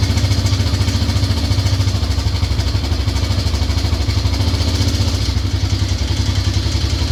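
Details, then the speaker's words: Lawn tractor engine started just after the carburetor boot was replaced with correct clamps, run cold without throttle: uneven idle with a loose knocking clatter deep in the engine, about 3–4 knocks a second; the engine was previously opened, cause unknown. "it's got that damn it's got a a noise down in the engine and see if we can start it"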